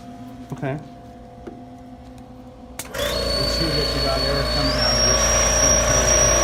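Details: AMC-20 unit after waste tube and air valve solenoid replacement, test with vacuum on: after a few clicks the compressor kicks in with steady hum and high whine stepping up once; healthy, even, normal compressor running.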